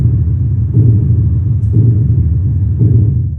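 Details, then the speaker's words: Mystery sounds recorded in Thessaloniki: deep booming thuds roughly once a second, slightly irregular, over a constant low rumble; loud, low-frequency mechanical pounding of unknown source, tunnelling, pipework or a power station suggested. "the fact that they're relatively loud and low frequency indicates to me there's some mechanical aspect to this but what's making the mechanical pounding"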